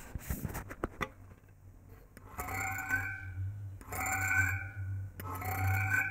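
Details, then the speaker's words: Antique purely mechanical 220 V AC reed frequency meter fed from a variac: buzzing tone in three bursts over a low hum, pitch rising from low to high as the steel reeds resonate; normal reed vibration buzz. "of course the sound you hear is some harmonic of that but you can hear how the sound is actually raising from low to high"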